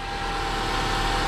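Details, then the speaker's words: 2008 Subaru Outback, 180,000 miles, just started after catalytic converter replacement: engine idles steadily with an even, smooth hum, and the previous rattle is gone. "and she purrs like a kitten she sounds real good all right no more rattle"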